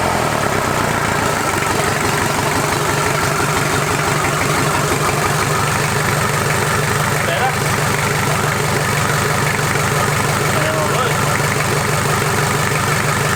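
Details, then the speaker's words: Toyota 40 Series LandCruiser B diesel engine, first start after rebuild: even diesel clatter at a steady idle with a firm regular beat and no knock or stumble; healthy-running diesel. "um juicy sounds good she sounds like a beauty yeah"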